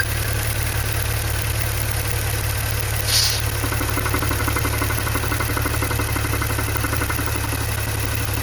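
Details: Maserati Ghibli/Levante V6 idling with a rhythmic squeak pulsing over it, from a hole in the PCV (oil vapour valve) diaphragm; fixed by replacing the PCV valve assembly.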